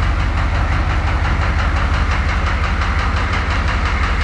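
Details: Engine with cracked pistons after 80,000 km, driven into garage before retirement: deep steady knock about three beats a second under a rough idle, hollow slap of cracked pistons rocking in bores.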